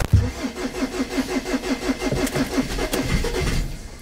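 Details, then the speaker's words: Diesel pickup in snowy cold with a dash warning lit: steady starter cranking about five or six turns a second with a couple of weak catches, then stops without firing; cranks but won't start, cold/snow suspected as the cause. "Ó, vamos ver se vai agora. Ai, meu Deus. Mas quase pega. Quase pega, mas não pega."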